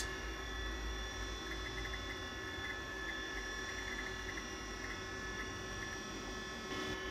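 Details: 1987 Apple Macintosh II running: constant high whir with steady hum and faint chirps from the hard drive's worn spindle bearings; the drive still works but may be near failure.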